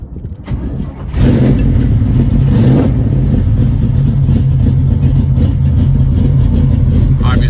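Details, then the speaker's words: 1972 Chevrolet Nova SS, built 502 V8 with big cam, under 10,000 miles since rebuild, 27,493 miles shown: catches after a second of cranking, settles into loud choppy uneven idle lope; normal big-cam sound. "it's got a big cam in it. Let's listen to this popcorn."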